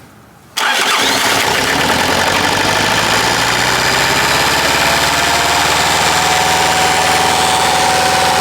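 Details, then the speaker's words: Bobcat 763 diesel skid steer, sat about a year with suspected water and rust in the fuel, after a new fuel filter, fresh fuel and additives: cranks and catches within a second, then a steady even idle clatter with no misses. "again it might be running that's good that's a good sign what do you think Buddy y we get it while it's idling smooth"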